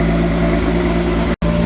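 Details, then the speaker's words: VW VR6 on first start, jump-started: even, steady idle hum with constant low tone, no stumble or knock, no smoke; idling smoothly, leaks still to be checked. "Idling smooth. Sounds good, no smoke. We'll check for some leaks, but we should be good to go."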